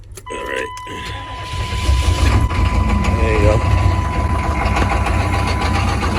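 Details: 6.5 turbo diesel with a crank-no-start fault, started after jumping the glow plug relay studs for about 20 seconds: a few cranking clunks, then it catches and settles into a steady, even low idle rumble. Normal start and idle.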